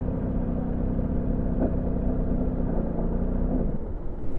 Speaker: なんか止まった。